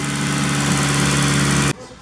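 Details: Car after axle and tie rod replacement, oils and system bleed, before test run: steady, even smooth low hum, no knocks or misses for a couple of seconds before cutoff; sounds healthy.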